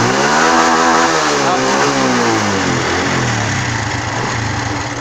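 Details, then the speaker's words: Honda Wave 110i fuel-injected, previously no-start, after new genuine fuel pump fitted; crisp rev climbing and falling smoothly with no hesitation or popping, clean response. "ครับผมติดมือดีครับผมบ่มีสะดุดครับ"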